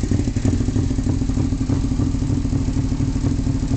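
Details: 2002 Suzuki SV650S twin with full M4 exhaust sputters off beat at idle, thumps uneven with missed beats and clatter; rough idle, cause unknown.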